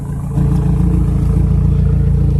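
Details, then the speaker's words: Big-turbo TT, first start after sitting long, warming up: uneven, lumpy idle with a low chuffing beat, a misfire caused by one ignition coil connector not fully plugged in; after reconnecting it, idle smoothed out. "I ended up finding out that one of the connectors for one of my ignition coils wasn't hooked up all the way."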